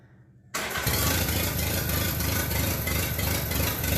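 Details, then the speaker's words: Minneapolis Moline BF tractor after in-frame engine rebuild for heavy blow-by: cranks briefly, catches cleanly into an even, steady low beat with no knocks or misses; normal running. "Able to do that before. Sounds pretty good, eh?"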